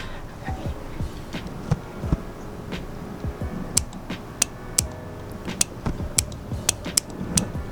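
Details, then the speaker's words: Honda Ruckus scooter with custom independent LED headlight harness with own fuse, relay and switch: sharp irregular relay clicks over a low hum as headlights switch on and off; relay working normally. "can hear the relay clicking inside of there so now the power to the headlights is a completely independent system with its own fuse its own relay and its own switch"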